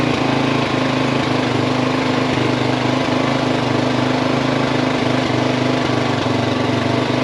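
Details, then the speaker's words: Yamaha XT350 single-cylinder idling after a coil change: irregular rough beat with extra rattly noise over it; source unknown. "That's the engine, not the carburetor. It actually caught its own idle. Huh. I don't know what that noise is."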